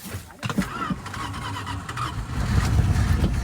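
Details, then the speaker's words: 1983 Dodge D150 V8 parked 25 years, running on seven cylinders after the number 1 plug wire was moved to feed the coil: catches into rough, lumpy, uneven low rumble on a squirt of fuel. "Well, she runs on 7, so she'll definitely run on 8."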